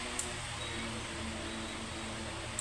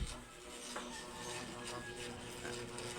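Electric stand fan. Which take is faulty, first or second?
second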